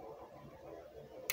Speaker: do that way at all you hear a clicking sound when you hear that clicking sound it's actually connected